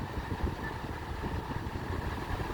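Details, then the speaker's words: 2016 Volkswagen Golf at 66,495 km, pre-purchase inspection: starts right up with no issues and idles low and even with a steady beat, no knocks, ticks or misses. Healthy petrol engine. "we'll start it up real quick starts right up no issues"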